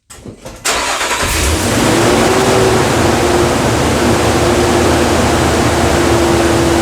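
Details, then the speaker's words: 2013 Nissan Frontier 4.0L, just after a new heavy-duty fan clutch replaced a constantly whirring one, at cold start: the engine catches and settles into a loud, steady whooshing fan roar, expected for 20–30 seconds before quieting; then confirmed fixed. "Now, if I'm right about something and if this part is any good, it should be a little noisy for about 20 30 seconds and then it should be nice and quiet after the fluid in the clutch pulls away from the center."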